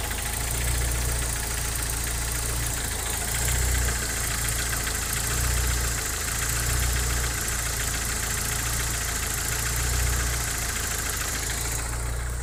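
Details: Opel Omega A with a C20NE engine, hydraulic lifters already replaced, idling. A dull knock at about three to four per second rides over the steady idle; the cause is unidentified.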